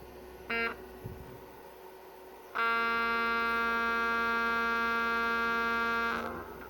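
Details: Harley-Davidson radio amplifier, part number 76192-98, on the bench: a steady harsh buzzing tone holds for about 3.5 seconds, then cuts out. The input capacitors are suspected but not confirmed. Amplifier output buzz.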